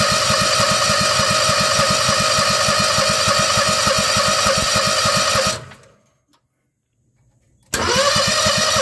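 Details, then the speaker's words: Bobcat skid steer with Harbor Freight Predator 670 22 hp twin swap; runs evenly about five seconds, fades and dies, catches again after short gap; stalling after start, choke used, owner suspects fuel line, considering new carburetor. "give it less throw still turning foreign I totally think it's this fuel line"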